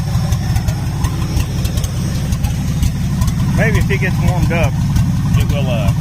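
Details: 1977 Ford F-250 Supercab engine at first runs: low, lumpy idle with an uneven beat and stumbles, about one miss every few firings. Steady misfire at idle that did not clear with extended running; cause unconfirmed.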